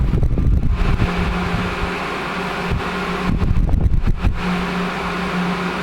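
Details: 1980s Sanyo Turbine rotator box fan, cleaned and oiled, switch repaired, on high speed: steady low motor hum with an even tone, some handling clatter; runs smoothly.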